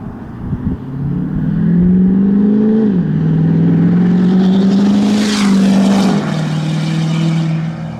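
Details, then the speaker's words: 2011 Ford F350 6.7 Powerstroke diesel with replacement engine, first drive, exhaust recorded under light-throttle acceleration pulling away: deep, smooth drone rising with each pull, easing between shifts, no misses or knocks; normal running. "so I'm gonna do some little exhaust Clips just kind of some light throttle like acceleration pulling away from you guys so we'll we'll see if she sounds like a yes"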